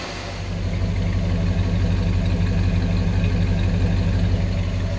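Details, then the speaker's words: 1966 Ford Galaxie 500 V8, cold-started after a Pertronix ignition replaced arcing points and the carburettor was adjusted; the choke comes off: smooth, even low-burble idle, about four pulses a second, no misfires. "choke comes off and a reasonable amount of time and it just runs perfect so I'm totally happy with the engine performance"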